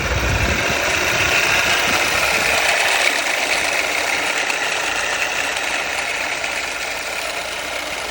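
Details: Audi 2.0T (A4/A5/Q5) petrol engine at idle: rough, gritty growl in the upper range from a worn alternator bearing, also heard when driving; fixed by replacing the alternator.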